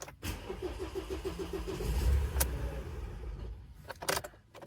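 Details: 2017 Ford Transit Custom 2.0 EcoBlue diesel after a new fuel filter was fitted and the lines bled of air: keys rattle, a short burst of rhythmic cranking, then it catches into a low steady rumble; normal start.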